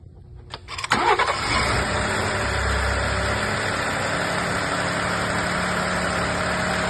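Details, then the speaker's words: Ford F-150 3.5L EcoBoost twin turbo V6 after timing chains and updated cam phasers were replaced for phaser rattle: first startup cranks briefly, catches and settles into a smooth, steady idle with no rattle. "Sounds pretty smooth. I think we're alright with that."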